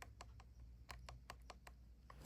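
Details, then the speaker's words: Light, uneven little clicks as a muscle rod toy's wheel is turned slowly by hand, wheel not touching the housing, no rubbing or binding; normal gear clicking showing the gearbox was reassembled correctly. "but if it doesn't touch it and you just hear a clicking sound like this"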